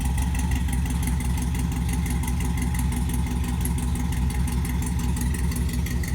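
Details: LS-swapped C10 with 5.3 V8 and Brian Tooley Racing no-springs-required cam freshly installed, first start before tune: deep, choppy, lumpy idle loping about two beats a second, steady and even; healthy cammed idle.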